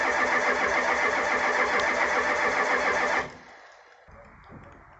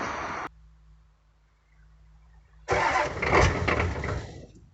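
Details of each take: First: 1985 Ford F250 6.9 IDI diesel, 4-speed manual, unstarted 4–5 days at down to −27°C, −17°C today, frosted engine: steady even cranking about four turns a second, never fires, pause, more cranking; no-start from gelled fuel, no anti-gel added. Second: 1985 Ford F-250 6.9 IDI diesel in snow, restarted after gelled fuel was treated with anti-gel: starter turns briefly, fires with a rough loud clatter before settling; normal cold start.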